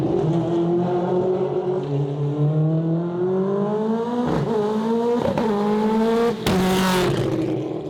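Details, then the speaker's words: AWD 4-rotor Mazda RX-7, test of newly set-up strain-gauge flat shifter on a fast-shifting transmission: note climbs, brief cut and stumble at each shift before pulling again; tighter and cleaner but slight flat-shift ignition-cut stutter remains, to be tightened. "There you go. Way tighter, way cleaner. And even then, I'm still leaving a little bit on the table. You can hear the car stutter a little bit, and we'll tighten that up."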